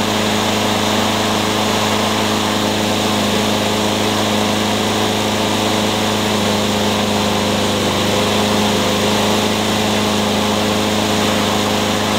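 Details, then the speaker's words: Troy-Bilt TB360 mower with cleaned original carburetor and cleaned tank: steady drone with uneven, stumbling beat, skips and pops; misfire unresolved, owner plans to check flywheel key and timing. "so it sounds like we're not done yet what's the troy bilt it's got a clean carburetor and I cleaned out the tank but it still kind of skips and pops"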